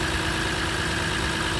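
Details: 2006 Lexus IS 250 AWD idling after a no-start, no-crank, no-power-to-ECU fault, with the security light still flashing. Steady, even hum with a faint constant tone, no misses or knocks; normal idle.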